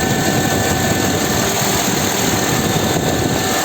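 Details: 2008 Honda CR-V with AC not working despite added refrigerant, after replacement of the cooling fan with a TYC unit: steady even whoosh of air with constant motor hum, no ticking, rubbing or wobble; new fan runs normally.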